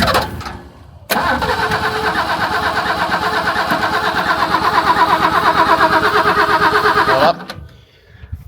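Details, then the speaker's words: Ford XL Falcon ute after carburettor rebuild, fuel in filter but bowl possibly not yet filled: steady starter churning about three turns a second for six seconds, briefly trying to fire then stopping; hard start, cause suspected. "It's definitely got fuel in that filter. I just don't know if it's filled the bowl up. Like, really, it's got a fair bit of volume."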